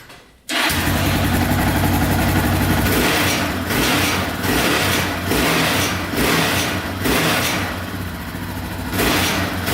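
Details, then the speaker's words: Yamaha Raptor 660R single revved in blips with a tinny rattle swelling with revs; the skid plate was suspected, but the rattle persists after tightening all its bolts, so the source is still unknown. "yeah uh not going away so i don't think it is a skid plate not too sure what it is now um very interesting it's very hard to pinpoint"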